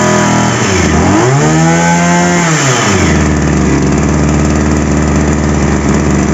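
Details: Two-stroke petrol power sprayer after repair, started with choke raised: engine revs up and falls back, then settles into a steady, even two-stroke idle with no misses; normal running.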